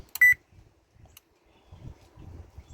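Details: Whirlpool stove control panel, connectors reinstalled: one short clean high-pitched beep when cancel is pressed, then quiet; board and button respond normally, so the start button fault is suspected to be clearance rather than the board.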